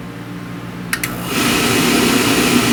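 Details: New Rheem oil furnace, one year old, after annual cleaning with gasket added to door, fired up: two quick clicks, then steady even burner roar with smooth blower hum; clean ignition, normal oil burner operation.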